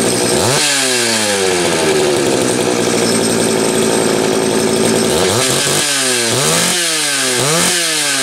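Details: Homelite 330 chainsaw with few hours, after fixing a switch ground wire broken by the factory crimp: snaps cleanly to high revs and drops back to a steady idle between blips, even and crisp; normal running, saw ready to go.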